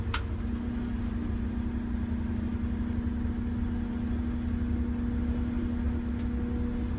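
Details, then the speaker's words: MCI 9 coach on a test drive after replacing very bad wheel bearings, king pins and air bags: steady low engine drone with a constant hum, no growl or rumble from the wheels; bearings now quiet where their noise once drowned out the engine. "yeah I can hear the engine today and the other day I couldn't hear the engine because of the wheel bearing noise yeah it's amazing"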